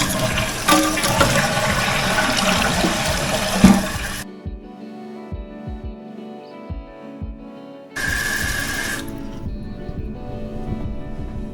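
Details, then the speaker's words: Toilet after new fill tube installed and water level adjusted: full rushing flush, then quiet steady refill trickle with no hiss; valve shuts off properly, leak fixed. "But you can now verify that it's not making a hissing sound, it's not slowly leaking out. Now that we have the new fill tube in place, it's not leaking, so we are done."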